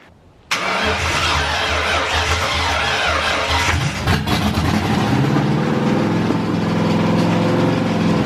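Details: SN95 Mustang with aftermarket fuel rail, first start in months, arcing heard and heavy smoke: catches after a short crank, runs loud, uneven and surging, then dies.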